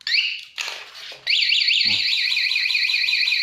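A chirp, then a loud rising-and-falling electronic siren warbling about twice a second: the alarm's anti-theft mode going off.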